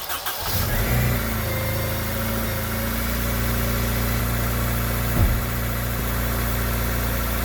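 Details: 2002 Acura RSX Type S, 2.0 L K-series, six-speed manual FWD, after idle air control valve replacement for code P0505 and coolant bleed: fires within a second and settles to a steady, even, smooth idle with no misses or hunting.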